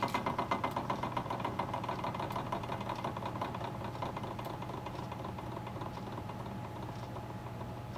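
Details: Sony TC-350 three-head reel-to-reel deck, fast forward after freeing a gummed capstan idler arm: steady light mechanical whir with quick soft ticks, about four a second, easing off smoothly; transport running normally.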